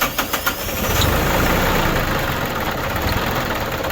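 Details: New Holland Boomer TC25D diesel tractor after a fuel filter change and bleeding air at the bolt: a few quick cranks, then it catches and settles into a steady, even run, starting cleanly and staying running.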